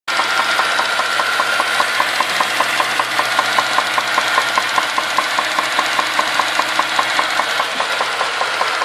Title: vz Commodore knocking sound